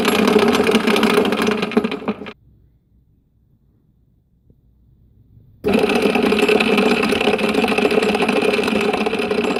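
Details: Bridgeport-clone knee milling machine head runs with a harsh, gritty grinding over a steady hum, stopping and restarting twice; cause unknown.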